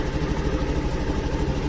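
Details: Honda Activa 6G scooter after oxygen sensor replacement, slightly warm with multimeter showing correct readings: soft, regular putter at idle with an even beat and no misfire or tapping; running fine.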